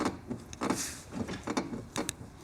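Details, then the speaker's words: 24-year-old Porsche 911 bought at auction, slow irregular creaks and groans about twice a second as wheels turn near full lock, possibly from the rear; suspected suspension bushing, likely original upper arms, unconfirmed. "which think it's likely to be some kind of suspension bushing or yeah I it sounds like the upper arms okay"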